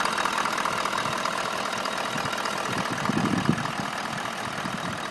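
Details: Toyota Land Cruiser LC200, warm idle: faint, fairly regular knock over the engine note, about two or three per second, heard on the left side of the engine behind the filter; absent cold and while driving, present in P, D and N; no power loss; cause unclear.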